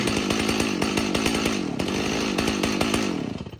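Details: Stihl MS 290 chainsaw: rough, hunting, missing burble that sags and dies after three seconds, won't hold idle; bogging and stalling out, saw later found full of crud and carburetor rebuilt.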